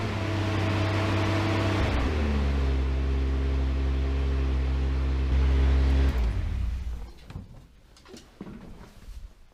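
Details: Datsun 280z, first start in a while after fitting a new ignition coil. A loud fuel pump hum, then the engine catches and settles into an even, regular idle. It starts and runs cleanly.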